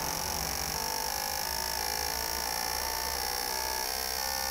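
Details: Injectors from a 2009 Toyota Corolla 1.8 on a test bench after cleaning: rapid, steady electric buzzing tick with even pulses and no dropouts; flow test equalized at 83-84, injectors working normally.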